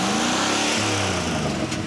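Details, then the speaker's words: Old flip-project truck engine climbs smoothly through a quick rev with rising pitch and no knocks or misses; normal, healthy revving. "That actually sounds pretty race, I think."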